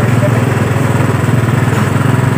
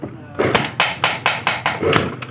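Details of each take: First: Yamaha Mio Sporty that was dead, freshly started after carburetor service and spark plug refit; low uneven putter that wavers and never settles, with a leak found at the carburetor diaphragm (membrane), to be repaired; unsettled idle. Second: Yamaha Mio Sporty that is totally dead, compression check with the ignition off, the spark plug hole sealed by hand and the engine kicked over: sharp, even air puffs blast out about every quarter second. This indicates good compression.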